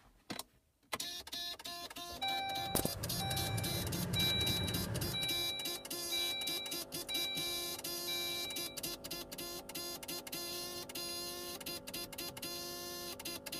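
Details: 2002 Saab 9-3 after engine overhaul, key on, won't run: fast irregular buzz and clicking from a relay under the dash, dash going crazy, fan cycling; caused by ECU needing new software, fixed by reflashing.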